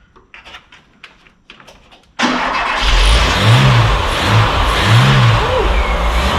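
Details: Volvo 340 abandoned 25 years, first start on full choke, out of neutral, no oil pressure yet: a few clicks, then it catches and settles into a steady fast idle, even low rumble, no knocking.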